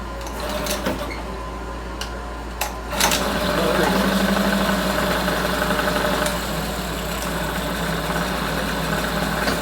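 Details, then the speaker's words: Mercury 9.9 hp outboard (owner had thought carb rebuild needed), choked and started, shifted gears: steady even putter at idle with no misses; idling cleanly, fuel line believed the problem. "She's peeing, and she's running, shifted. She's idling good."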